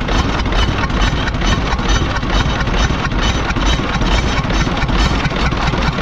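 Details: Kia engine with a rough idle and a regular knock about twice a second over the clatter: an abnormal internal noise that the mechanic could not pin down.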